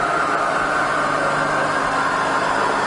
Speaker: It's all fine in low range as well.